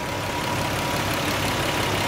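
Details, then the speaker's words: Nissan 300ZX idling after misfire troubleshooting: steady even idle with no stumble and the earlier hiccup gone. Running smooth; a little smoke seen, owner suspects turbos. "Man. She sound like she running smooth, fellas."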